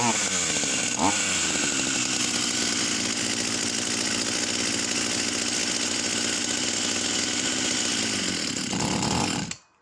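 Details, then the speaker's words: Vintage Husqvarna 44 chainsaw, formerly seized engine now freed: high buzzing two-stroke races steadily, then falters and dies within a second when the high needle is touched. Floods and stalls on adjustment; carburetor suspected. "So the minute I touch the high needle, she seems to flood and stop the engine. So I don't know whether or not she'll start again now."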